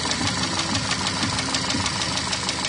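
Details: Skoda Yeti engine running: a crisp, regular knock at about four per second. The internal engine knock led to teardown, with the cause still to be found.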